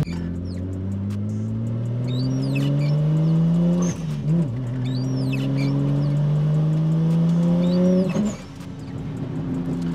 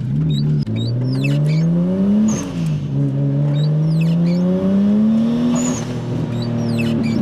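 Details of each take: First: Nissan R34 Skyline RB25 NEO on road test after fitting Audi R8 coil packs for a spark blow-out misfire: engine pulls hard and rising in third, then stumbles and breaks up under full boost; coils did not fix it; cause unknown. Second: Nissan R34 Skyline RB25 (NEO) after fitting Audi R8 coil packs for a misfire under full boost: quick rain road-test pull in second gear, engine climbs smoothly without stumble or popping, squeaky wipers audible; runs cleanly so far.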